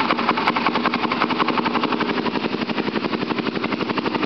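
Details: 2005 Polaris Predator cold start after carb cleaning, oil change, spark plug and new sprocket, carburetor primed with gas: small engine putters fast with an uneven, rough beat, struggling to settle; hard cold start.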